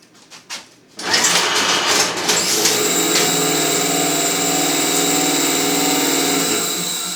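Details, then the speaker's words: Refurbished EAM Mosca ROMP-5 strapping machine, 5 mm strap: motor spins up into steady whirring rattle as strap is driven out, easing near end; normal end-of-reel ejection after strap passes B7 sensor. "And as soon as the strap goes past the B7 sensor and the flag falls down, then the machine knows it's empty and then it gets rid of the strap."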